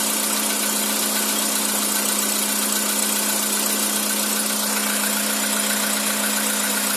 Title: Стук на холодную двигателя CFNA Skoda Roomster 2013г